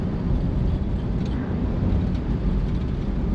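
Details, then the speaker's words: 1955 Chevy Bel Air small-block with a replaced fuel pump after a suspected bad pump, driving: steady, deep, even rumble with no knocks or misses, some cabin jingling; engine running healthy. "Oh, she's running awesome. She's a good rig."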